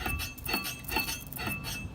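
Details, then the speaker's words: NB Miata after front brake upgrade with Hawk HPS street pads and StopTech rotors: light metallic clink about every half second as the wheel turns; cause unknown. "You guys, so everything's back together. I put everything right 100%, but for some reason I'm getting this noise,"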